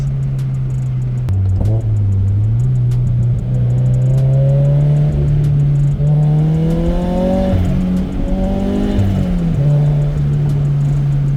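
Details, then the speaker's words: Turbocharged Subaru BRZ with blow-off valve replaced by a block-off plate, about 4-5 psi boost: engine drone rising and falling with throttle, fluttering chatter on lift-off from compressor surge. "definitely getting that iconic turbo surge sound there love it"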